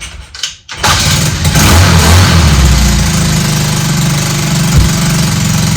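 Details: Honda DAX ST70 converted with a Lifan 125cc engine, first start after fitting a custom bent exhaust: idle carries a loud, raspy chuffing with each firing pulse instead of a muffled note; header not sealing at the cylinder head, exhaust leak.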